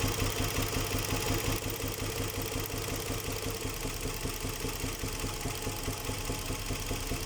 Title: Ниссан Мурано z50 Стук шатуна. #ниссан мурано #nissan murano